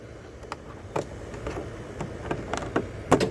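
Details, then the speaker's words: Zero-turn mower with a newly installed PTO clutch; a few sharp, clean clicks as the electromagnet pulls in to engage the blade belt; engagement sounds normal, though the mower still bogs and dies after about 5 ft with blades on. "you hear that click that's a electromagnet when you hear that click it's pulling the magnet up and holding it so that it will Spin and allow the belt to spin and turn your blades"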